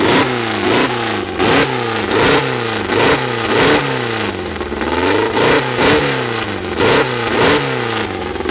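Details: First start of a freshly built 2054 flat-four with no final exhaust fitted: sharp repeated throttle blips about once a second, revs climbing and dropping cleanly through a very loud open exhaust; healthy engine.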